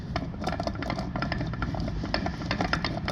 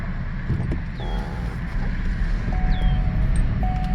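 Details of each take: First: Removed rear differential from 2016 Lincoln MKX AWD, originally noisy, turned by hand beside the new unit; uneven gritty clicks and knocks rather than smooth spin, worn bad differential. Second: 2016 Lincoln MKX AWD SUV after rear differential replacement, road test with wheels torqued; only soft low road rumble while cruising, no whine or howl from the rear, differential now nice and quiet.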